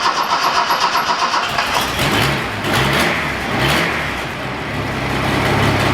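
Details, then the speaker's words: Datsun 240C after new distributor cap and rotor button, points not yet done, earlier misfire; cranks, catches, settles into smooth even idle with clean blips; normal running, exhaust manifold leak still to fix. "That's good now, like listen to that. That's awesome. That's so good now."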